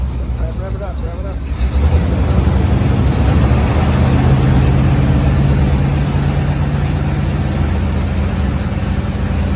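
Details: 1987 Chevy 3500 454 TBI V8 with new cap and rotor: cranks, catches and settles into a lumpy, stumbling idle with an uneven beat; misfire from plug wires on wrong cylinders.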